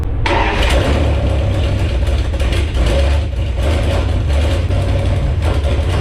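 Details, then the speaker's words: Jeep Grand Cherokee drag-race beater V8, testing throttle linkage: deep rumble with throttle blips, runs steadily then dies from fuel starvation because the leaking fuel pump was switched off. "Apparently the throttle linkage works, and she runs. Now I ended up dying there because I had no more gas because I turned the fuel pump off since it's leaking."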